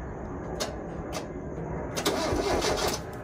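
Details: 1995 Mazda Miata engine after rod bearing replacement and reseal, first crank with coil packs/plug wires out: even starter churn about four beats a second, spinning freely without firing while building oil pressure; normal cranking.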